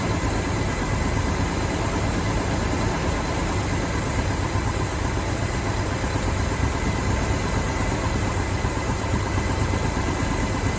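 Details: 1969 Mach 1 Mustang, apparently with a 302 V8, sat almost 10 years, new NGK plugs, first run on a chilly morning: deep, steady idle with even rumble, no knock, tick or miss; a bottom-end knock appeared only later.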